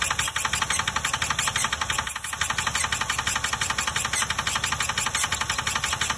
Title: HELP!!! What’s causing this sound?